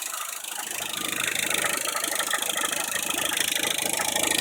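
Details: Idling petrol engine with a loose, fast metallic rattle mostly at idle, traced to a failed timing belt tensioner, at only about 20,000 km.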